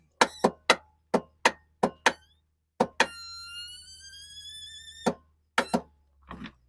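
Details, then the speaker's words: Craftsman YTS4500 riding mower with Kohler engine, battery good: sharp clicks, brief thin whir, more clicks, engine never turns over; failed starter, fixed by replacing it. "Alright, so what that is it's your starter."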